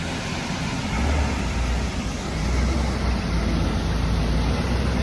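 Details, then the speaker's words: 1972 Peterbilt on Duramax diesel chassis swap, body shop work done, lights and wiring pending; deep steady diesel rumble, even beat, no misses or knocks; earlier stalling traced to coolant temp sensor, unplugged; normal running. "But it's running really good, sounds good."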